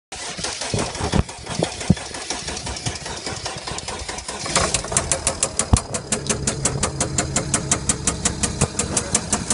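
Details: Chrysler 300C CRD with OM642 diesel running roughly with a misfire and white smoke, plus a sharp, regular knock/clunk about three to four a second; owner wonders about spun bearing, big ends or piston rings, unconfirmed.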